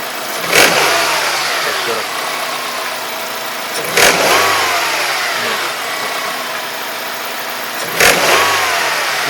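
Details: Honda K20A engine, microphone held close to the block: each rev blip brings a sharp rap over the engine's rush; unexplained knock, source not pinned down.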